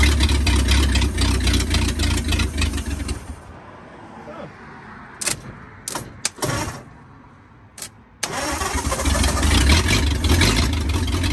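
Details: 1939 Ford 1.5-ton truck, flathead V8 parked about 65 years, new condenser, wired directly to battery, water added: soft even idle burble, cuts out briefly then picks back up; runs pretty good, carburetor a little weak.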